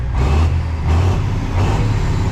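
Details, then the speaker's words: Kenworth cabover diesel under restoration. Deep, even idle with a steady low beat, no stumble or burble; check engine light out, owner guesses a gummed or stuck injector freed itself. Normal idle. "Smokey is Well, it's not really smoking right now, but it's running. And it sounds like it's running good."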